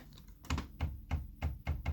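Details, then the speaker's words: Kyocera P3145dn laser printer with loud cracking, whistling and paper jams near the drum. Sharp cracking clicks about every third of a second over the drum-drive motor hum, a stripped drive gear slipping; fix is replacing gear Z128R 302L231040. "Вот, пожалуйста, что-то произошло с шестерёнками. Происходит треск."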